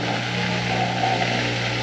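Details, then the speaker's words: Bosch Nexxt washer WFMC4300UC/01 after replacing drain pump (assembly 00436440) for E04 error, drain cycle: steady hum with water rushing, slightly noisy at first while full of air; normal drain pump operation. "go little noisy at first when it was probably full of air I can hear coming out the uh drain up the top into the"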